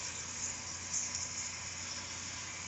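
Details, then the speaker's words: Dumpster-found window AC unit whose digital control failed, rewired to analog switches with the fan on high and cool on: steady, even hiss and low hum with no rattles, clicks or cycling; the compressor runs smoothly and frost is building up on the coils. "and I mean it's working hear that condenser working you can see the Frost building up on there so I'd say that success"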